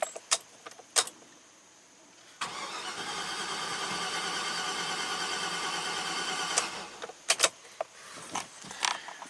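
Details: 2009 Chevy Silverado 3500HD at 421,000 miles that stalled, cranked for about four seconds; cam and crank both spin. Quick, even cranking that never catches, sounding abnormal with no compression, a low-compression no-start; a jumped timing chain was initially suspected.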